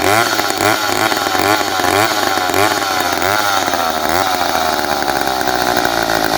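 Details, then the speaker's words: McCulloch 10-10A two-stroke chainsaw, a free saw from a friend: a high buzz with an uneven, surging rhythm that never settles to a low idle. The owner suspects it needs a carb kit, but the cause is not confirmed. "i started a few minutes ago it's not idling right i think it needs a cob kit um i can't get it to slow down to the speed that i want"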